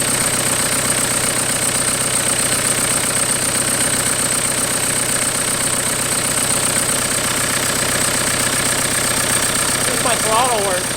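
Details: 1991 Toyota pickup with swapped 1.9 L ALH TDI turbo diesel from a 2000 VW Jetta, first start; pump timing and IQ not yet adjusted. Even diesel clatter at steady idle, about four beats a second, no stumbles; runs surprisingly smooth.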